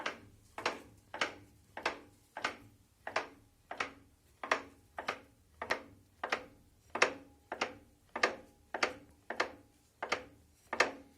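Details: 2008 Renault Megane 2 1.6 with DP0 automatic gearbox, knocking when pulling away and braking; suspension bushings already replaced: front raised, wheel turned slowly by hand in a quiet room gives sharp evenly spaced knocks, roughly two a second, from inside the gearbox.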